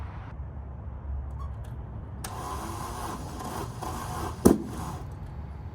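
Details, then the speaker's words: MK1 VW Rabbit (Caddy) pickup, first drive after sitting about 8 years with engine reinstalled: rough uneven low rumble, then one sharp loud bang on startup; backfire, owner suspects old fuel partly drained and diluted. "Backfire scared the hell out of me, but not enough to quit. Now it just sounds like a goddamn tractor."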